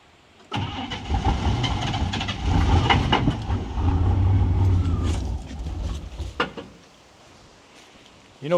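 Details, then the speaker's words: Vehicle left sitting: engine catches and runs rough, hollow iron knocks only as it stutters and dies, none while steadily running; suspected loose flywheel/flex plate bolts or torque converter shifting, not bottom end. "It sounds like the bolts are loose on the flywheel. >> Mhm. Iron knocking."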